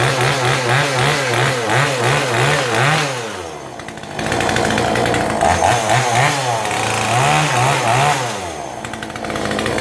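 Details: New Kanto KT-CS1700 two-stroke chainsaw in a cutting demo after assembly; it starts easily and accelerates without bogging: high, buzzy revs that dip under load with each cut and pick straight back up. The saw runs healthy.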